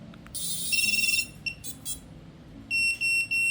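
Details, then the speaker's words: DIY waterproof FPV drone ESC, powered through a smoke stopper after drying out water ingress at a cable connector: quick chirp sequence then three even high beeps; full startup tune, ESC powered up normally. "Okay, all good. All the beeps were there."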